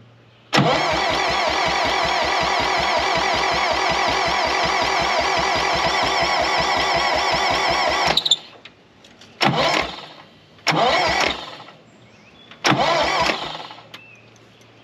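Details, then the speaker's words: 1960 John Deere 1010 backhoe gas engine during rebuild, choke on: steady fast starter chug with a high squeak on each turn, then short bursts; squeak source unknown; compression 65/95/98/90, weak spark. "don't know what that squeak is"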